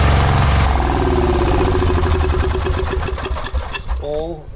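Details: Cub Cadet 1106 riding lawn tractor (1987; listed as 1986), sat over 4 years, bottom carburetor adjustment screw ineffective: engine just fired, loping unevenly with a lumpy beat before tailing off. Rough running; old fuel through fuel line suspected, not confirmed.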